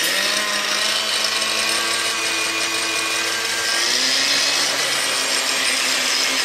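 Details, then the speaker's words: Angle grinder repaired with new brushes about six months earlier, now playing up again; motor whine drops and wavers, rpm fluctuating, almost grinding to a halt, very underpowered; fault returned, needs further repair. "now it's not fluctuating rpm to some some points yes the almost grinds to a halt pardon the pun all the times it seems to work very underpowered"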